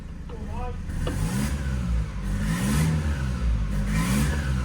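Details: Ex-fleet Ford Transit diesel, revved up and down: sharp chuffing, whistly edge over the engine note; exhaust manifold blowing at the head, plus whistling near an oil feed pipe that doesn't look fully on.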